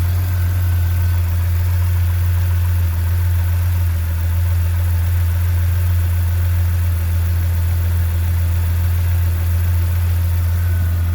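Deep, heavy idle right after start-up with a lumpy low throb; the idle isn't settling cleanly, and the cause can't be told by ear.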